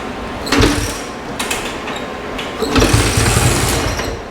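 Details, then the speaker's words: 1968 Benelli Mojave 260 single-cylinder, stored over two decades, first kicks after fuel added: two kicks bring a few low pops and a brief splutter that dies; fires briefly but won't keep running. A stuck slide or dirty carburetor is suspected. "yeah I think my slide may be stuck come on come on you heard it oh that was just give me hope ah it's coming"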